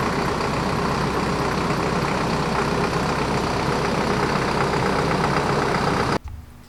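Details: 2015 Hino 195 COE diesel running after service, fuel system bled of air with the hand pump: steady, even diesel clatter with a firm regular beat and no misses, then a clean shutdown; running normally.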